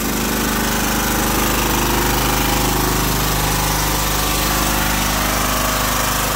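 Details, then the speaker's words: John Deere Sabre riding mower engine: a fast, steady ticking of about three to four a second over the running chatter, a lifter tick that did not quiet after five minutes of running; an oil change is considered. "And see if I can get this lifter tick to go away."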